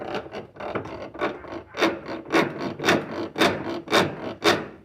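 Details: Colormaq washing machine, noise only at water level 4 (levels 1–3 normal): rhythmic rasping scrape about twice a second with each agitator stroke.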